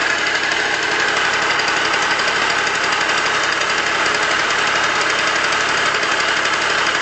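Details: Yamaha Aerox scooter, noise suspected from variator: harsh rattling grind over high buzzing idle, steady throughout. Worn crankshaft bearings, not the variator.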